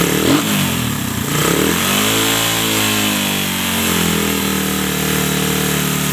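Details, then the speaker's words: Suzuki Satria FU, otherwise stock, just fitted with a new PE 26 carburetor and air filter: a quick rev swells and falls back to a steady even idle with clean firing; sound is good, engine healthy. "Oke teman-teman sudah mantap suaranya juga oke"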